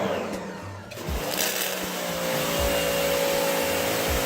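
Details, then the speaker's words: Sun Joe SPX3000 electric pressure washer (14.5 A, 2030 PSI): a motor hum with a rough, uneven pumping surge every second or so. The trigger was cycled too fast, so the pump pulses instead of holding pressure. "Also, if you do it too fast, this is what will happen. You hear it kind of pumping."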